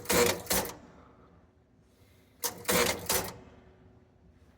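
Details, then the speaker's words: Gottlieb North Star electromechanical pinball machine, start button pressed. Two short bursts of relay clatter as the score motor makes one turn and runs the relay banks, then quiet; score motor cycles but no game starts. "when I hit the start button, the score motor makes one turn and it runs a one of these relay banks or both of them."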